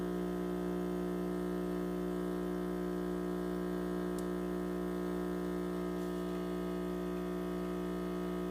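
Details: Six-month-old Breville Dual Boiler espresso machine gives a loud, steady electrical-sounding buzz with unchanging pitch; pressure is still good, but the owner fears the machine is failing.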